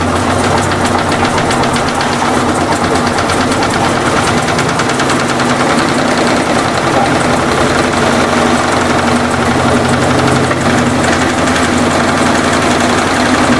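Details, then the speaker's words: Electrolux LT15F washer during fast spin: loud constant rattling knock, heavier on one side; suspension support looks worn, rod dancing inside its support and letting the tub shake. "mas olha como é que ele balança não dá vocês perceberem dança na dentro do do apoio como se tivesse gasto ali o"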